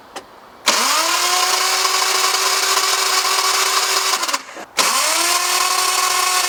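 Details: Lexus IS200 1G-FE manual after a radiator leak caused overheating and head gasket trouble, with Radseal and a reconditioned engine: two long cranks with steady starter whine, no firing; cranks but won't start.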